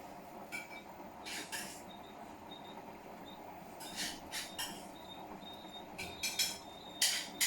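Sharp high-pitched squeaks come in uneven bursts, roughly two or three a second, over a quiet background; the source is still undiagnosed.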